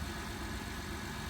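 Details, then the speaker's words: 2012 Honda Odyssey V6 after the P3400 repair, with the rocker arm oil pressure switch replaced and the oil changed: a smooth, even low idle rumble with no ticks, knocks or misses. A healthy, steady idle. "just make sure you change oil on time see now it's run smooth"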